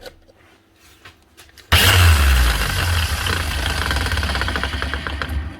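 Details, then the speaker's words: Angle grinder run free, motor hum with rough gravelly rattle: bearing gone, one possibly collapsed; brush holder and brushes also gone, exposed live wires. "oo she Works anyway but she doesn't sound good bearing's gone and it sounds like one's collapsed down here and the brush holder is gone and the brushes are gone"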